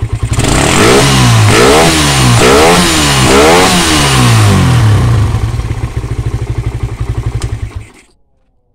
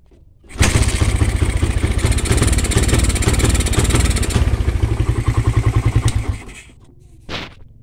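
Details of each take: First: Suzuki Satria FU that ran but would not take throttle, running with the regulator/rectifier (kiprok) unplugged: revs up and down cleanly several times, then settles to an even idle; fault traced to the kiprok. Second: Suzuki Satria FU motorcycle starts but misfires and stumbles, refusing to rev, then dies. This is with a new aftermarket Suzuki Smash regulator/rectifier (kiprok); the original Smash regulator makes it run normally. Faulty regulator is the cause.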